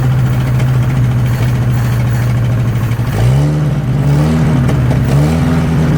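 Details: 1963 Nissan Junior four-cylinder ute, unused for 15 years, first start with a leaking carby: fast, uneven idle that hunts, sags and backfires, running better with choke and won't hold idle. Owner thinks it starves for fuel; finding: vacuum leak.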